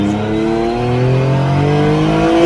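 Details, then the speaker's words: Newly rebuilt engine on its first smoky ride home, about 100 ml oil per cylinder added at build: above about 8000 rpm it stumbles with a ragged, wavering note while smoking; the dipstick read OK, but the cause is excess oil. "i'm gonna make my way home and as you can hear it really fumbles when it starts smoking i couldn't figure out what i'd done wrong"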